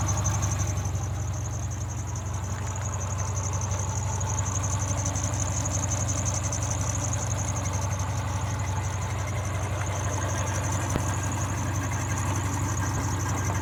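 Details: 2003 Subaru Forester idling, parked: a thin, high chirp or squeak repeating about three times a second from the engine bay. It persists after the belts were tightened, and the source is not found.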